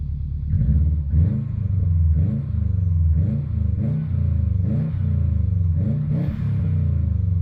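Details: Subaru Impreza WRX GC8, EJ20G turbo boxer, dull knock about once a second as revs rise and fall; driven a year, prior owner two years; told forged pistons knock, owner suspects connecting rod; unconfirmed.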